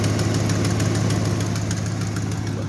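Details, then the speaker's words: 2004 Dodge Durango with 300,000 miles, started and idling: steady hum with quick regular ticking from an exhaust leak; no lifter noise or knock, otherwise runs well. "you can hear the exhaust leak that's an exhaust leak other than that this thing runs like a champ never misses a beat"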